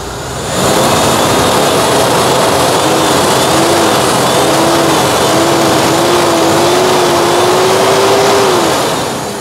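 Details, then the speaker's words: 2005 Mitsubishi Jolie with four-injector fuel injection: engine picks up cleanly and climbs smoothly in pitch, holding a steady rev with no knocks, misses or rattles; healthy revving, engine runs very smoothly. "nó bị sao ta liền máy êm bà con ạ máy cực kỳ là êm"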